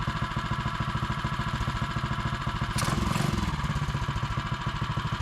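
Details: Mega Moto minibike, after a Paul's Karts Hot Coil replaced the stock coil, started on choke: a small single thumping at an even beat of about three and a half pops a second, no misfires or rattles. Normal idle.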